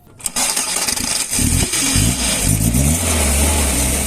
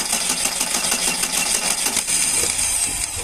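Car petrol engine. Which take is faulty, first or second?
second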